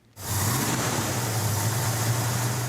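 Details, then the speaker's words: 1970 Dodge Super Bee with big-block Mopar 451 stroker (replacing stock 383 Magnum), carburettor being tuned: steady, deep, raised idle with even rumble and no misses while high idle, mixture and floats are set; high idle. "Larry was doing was Larry was setting the high idle on the carburetor. Get the mix right, get the floats right, and that's what he was doing there."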